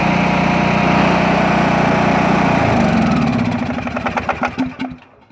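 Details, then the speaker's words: Craftsman T2200 tractor, Briggs 540cc single, just reassembled after camshaft replacement: runs steady and even for a few seconds, then the beats slow and die away at shutdown; no leaks or smoke; healthy. "it's not leaking gas it's not leaking oil it's running perfect sure it's not smoking at the exhaust good sign"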